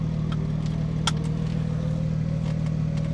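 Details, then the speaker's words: Loud open-exhaust drone on the road test of a 1995 Mercedes E320 S124 wagon under restoration, running with no muffler because the new one has not arrived; the engine pulse climbs as it pulls. Loud exhaust from the missing muffler. "and as you can hear the muffler has not arrived the muffler is actually stuck in North Carolina"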